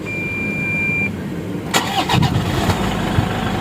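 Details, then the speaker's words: 2012 Toyota Fortuner 2KD diesel after fixing a singing squeal at startup suspected from a one-way clutch: a short beep, then the engine cranks and catches into an even idle with no squeal, a normal start. "Bunyinya sudah halus ya. Beda dengan yang awal tadi yang saya videokan pertama tadi ya. Dia ada bunyi singing gitu ya teman-teman ya. Kalau sekarang sudah mulai bagus ya teman-teman ya."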